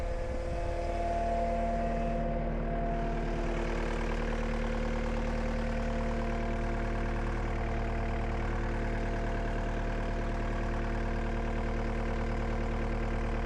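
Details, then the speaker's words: Cat 279D3 skid steer diesel after main drive hydraulic hose repair, jump-started on a flat battery: steady, even idle with smooth low rumble, no knocks or misses; runs normally while coolant and hydraulic temperatures are watched. "Hey, [Music] let it run for a little bit. Sounds good."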